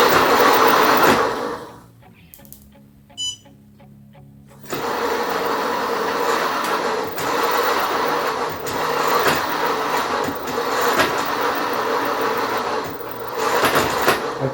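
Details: Xiaomi Mi electric scooter whose electrics were broken by a hack app, all electric parts replaced, at about 26–28 km/h: gritty whirring with an uneven pulse of 3–4 per second. Owner thinks the hub motor is bad.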